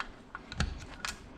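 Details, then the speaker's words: 2005 Honda TRX450R engine rebuild: a few crisp, separate clicks as the gears shift up to fifth and back down through fourth and third, locking cleanly with no grinding or slipping. "so it locks in gear so there's first then let's go up there's second third you can hear it click fourth fifth"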